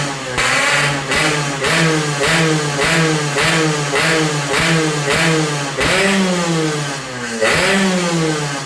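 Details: Yamaha RX-King two-stroke after porting, flattened block top deck and head repaired against leaks; carburettor air being set on first start. Crisp repeated blips about once a second, each climbing and dropping cleanly; running healthy, no head leak seen afterwards.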